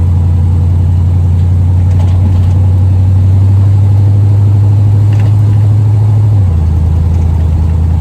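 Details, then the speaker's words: Car after squeak repair, driving; steady deep engine drone, pitch dropping slightly near the end, no squeak; a separate known clank underneath remains, not yet fixed. "goodness, what a difference. I do still have that clank down there. I know exactly what that is."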